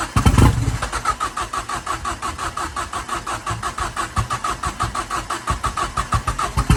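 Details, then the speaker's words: Ford Fiesta RS Turbo restoration: steady starter chug that never catches; fuel pump primed but owner says not enough fuel coming through. Crank, no start. "we are going to keep going we not giving up this easy if I had some of you know to spray this we'd have it running by now wouldn't we"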